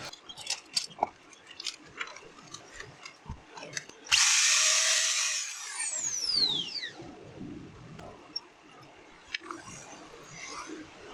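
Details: GWS 600 angle grinder after damaged bearing replacement: spins up with a steady high whir, then coasts down with a falling whine, no grinding or rattle; noise problem fixed and running smoothly.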